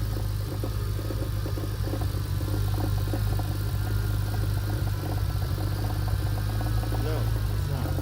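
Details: 2001 manual turbo Lexus IS300 (2JZ) idling with gearbox removed: low idle with uneven mid-range knock, source undetermined; owner feared bottom end, later suspected loose crank pulley, unconfirmed; flywheel shows no damage.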